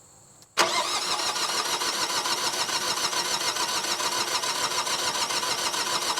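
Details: Generac diesel light plant (generator) bought at auction, fuel lines left loose while bleeding the fuel system: starter churns evenly, about 3.5 beats per second, for several seconds without catching; cranks but won't start, owner suspects air in the fuel.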